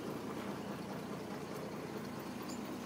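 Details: Willys-Knight four-stroke sleeve-valve engine that had not run for a while, spark lever pulled out for starting: soft, even idle with a steady low rumble and no knocks or misses just after starting; normal idle.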